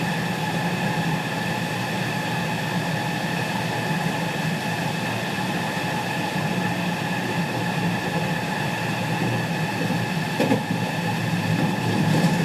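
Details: Running sound recorded aboard KuMoHa 207-1037, JR 207 series 1000 T17 set (Toshiba GTO inverters), local to Shijonawate, Tokuan–Konoike-shinden, Jan 2017: layered electric tones beat together as the Nishi-Akashi/Shin-Sanda side inverter modulation drifts out of sync with the normal Kyoto/Kizu side.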